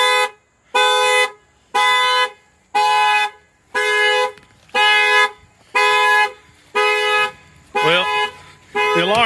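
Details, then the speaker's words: 2007 Cadillac Escalade EXT, parked about 2 years with a dead battery and powered from a Noco Boost XL jump box; loud factory alarm horn honks about once a second, evenly spaced, showing power is restored. "alarm's going off, so it's working."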